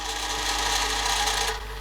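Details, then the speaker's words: Panasonic NV-HD650 VHS recorder that wouldn't rewind fully. A steady whirring rewind drops in pace near the end and the counter barely moves; slow rewind. Owner suspects belt slip or a wobbling back tension guide, not confirmed. "though it gets most of the way back and then starts going very very slow look at that just slowed right down the counter is barely moving"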